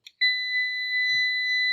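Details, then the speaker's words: UPS switched off emits a steady, unbroken high-pitched beep; caused by shorting the power switch pins while testing whether the switch is faulty; UPS beeping while switched off. "দেখুন একটা সমস্যা দেখুন automatic beep শব্দ হচ্ছে তো কিন্তু এটা দেখুন অন নেই"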